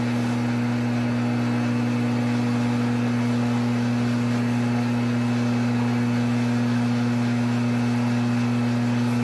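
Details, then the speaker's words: Triumph 650 unit crankshaft being reground; steady motor hum with an uneven grinding pulse about three times a second as the wheel catches the high spots of an out-of-round journal. "You could probably hear how out of round it was, but I've just got a little bit of it cleaned up so I can have something for my steady rest to press against."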